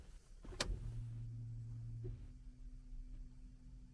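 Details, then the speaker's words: Car in cold Canadian winter, key turned to second ignition position before starting: low electric hum for about 1.5 seconds then cuts off cleanly, fuel pump priming gas from tank to engine; wait until it stops, then start. "So listen, you need to listen to this one until it stops pumping, and then you can just fire it up."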